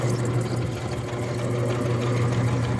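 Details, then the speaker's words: Rebuilt Clipper Super 47B grain cleaner running empty with no screens, its fan at the slowest setting. Even rattling shake about three strokes a second over a low fan hum, steady and without knocks: normal running. "motor starts strong runs strong runs nice and quiet nice and smooth you can barely hear it"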